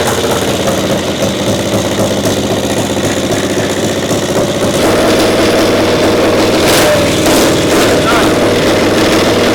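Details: Caterpillar Diesel 70 pony motor after a cap was swapped: loud, even two-cylinder putter that picks up and holds steady when revved, firing cleanly on both cylinders; runs properly.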